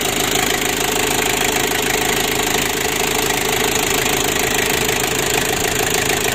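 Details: Ford Ranger diesel with engine oil loss and won't rev high, injection repair deferred and an extra fuel pump fitted temporarily: steady, even run, consistent beat, no stumbling; running normally.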